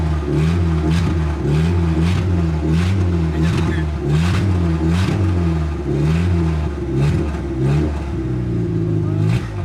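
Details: 1989 Proton Saga Magma 8v after engine overhaul (new conrod and crankshaft bearings), first start with no exhaust fitted: loud raw bark rising and falling with throttle blips, sounds like a drag car; to be adjusted once exhaust is made.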